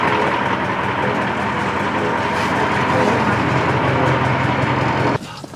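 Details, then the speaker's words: American 2380 20-ton military crane diesel running great, with crane and steering working; slight coolant leak. Steady, even rumble at constant speed with no knocks or misses, then it drops away; normal idle. "the Beast is running great clouds going up and down the rear steers work and the front stairs working"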